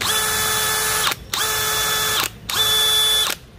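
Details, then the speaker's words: DeWalt DCK299P2 kit rotary hammer in hammer-drill mode at top speed: steady high motor whine in bursts with rattling clack as the chuck lags the motor, speeds unsynchronised; normal clutch behaviour, not a fault. "khi mình chạy cắt ngang mình Nhã toàn là đột ngột nghe tiếng cạch cạch đó là do cái sự không đồng bộ tốc độ xoay giữa cái đầu khai trên đây và cái motor"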